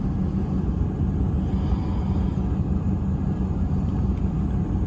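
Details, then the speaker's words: 1996 Jaguar XK8 4.0 V8, automatic still fitted, during a CAN-bus Manual Control Module test, cold start at about 1100 rpm: deep, steady, even raised idle with no misses or knocks; no gearbox fault; normal cold-start fast idle. "Oh, RPM has dropped. So, there you go. Car starts and we have no uh gearbox fault."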